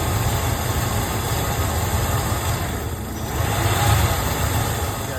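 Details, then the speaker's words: Ford F-150 (OBS) at idle: a low idle that lopes and stumbles as if about to stall. It also skips while driving, at red lights. The owner suspects the idle air control valve or fuel pumps; unconfirmed. "Well, I thought this issue had went away. But, looks like we still got it. Yeah, this sucker's trying to die."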